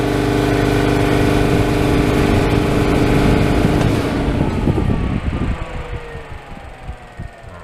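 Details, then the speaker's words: Ingersoll Rand 5 hp single-stage twin-cylinder 60-gal air compressor for a plasma-table air system: loud even motor drone with steady hum from a cooler fan wired to cycle with the compressor motor, then smooth wind-down. Normal running. "so that's set up to cycle with the compressor motor so whenever it's running the cooling fan will run at the same time"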